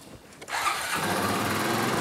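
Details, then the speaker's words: 2003 Honda Rancher TRX350 2WD manual ATV, petrol: fires straight away into a fast high-pitched steady idle, far too high because the idle had been raised to compensate for a clogged slow jet. "Alright you'll notice when I first started it up it was idled way high."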